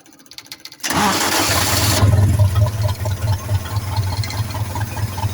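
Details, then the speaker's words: Old-model forklift with gasoline engine, reported misfiring and lacking power, started before repair: starter cranks, engine catches and settles into a slightly lumpy idle with uneven low thumps; minor misfire at idle. "So ang una po natin gawin mga boss para malaman natin kung gaano kapalyado itong o walang puwersa itong makina. So paandarin natin ito mga boss."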